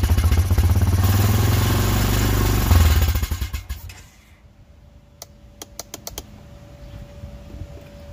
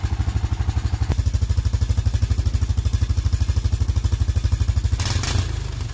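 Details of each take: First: Honda Foreman four-wheeler that won't stay running, carb suspected clogged: engine catches, runs rough about three seconds, then sputters and dies, leaving scattered clicks; stalls after starting, cause unconfirmed. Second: Honda Foreman ATV that wouldn't stay running, after carb cleaning and rebuild: single-cylinder thumping steadily about three beats a second, then a brief rev near the end; runs smoothly; normal running.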